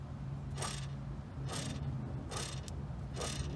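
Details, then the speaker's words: ZL1 driver-side hub, rotor removed, spun by hand: a gritty rasp swelling once per turn over a low hum with no play; on the road it sounded like a second motor rising with rpm. Worn, grinding wheel bearing. "terrible but hasn't no play back and forth it does not sound good it's probably noise I'm hearing it sounds like a had a second motor almost what goes with rpm"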